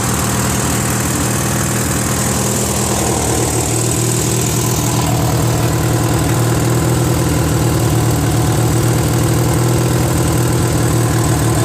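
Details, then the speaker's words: Free Briggs & Stratton 16 hp opposed twin on a Murray garden tractor, stuck valve freed and a carburetor added: runs lumpy and uneven, about four beats a second, wavering; the carb appears to be missing its Welsh plug, causing an air leak. "I figured out why it's not running so good. Apparently it's missing the Welsh plug, I think."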